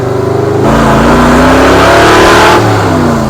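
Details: 1964 Ford F100 with new headers and exhaust, bed full of tires, accelerating from a stoplight: deep roar climbing steadily with revs under hard throttle, smooth, no knocks; normal loud exhaust under acceleration.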